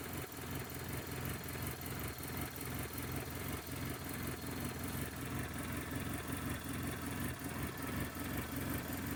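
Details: 1996 Toyota Corolla idle surging in a steady uneven pulse, two or three beats a second; owner unsure if misfire, belt or manifold issue.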